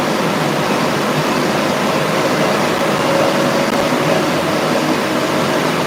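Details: 3D-printed fan for a drone, one of four, not strapped down, after controller recalibration: steady rushing whoosh of air with a faint constant mid-pitch tone, no rattles or rubbing; normal fan run.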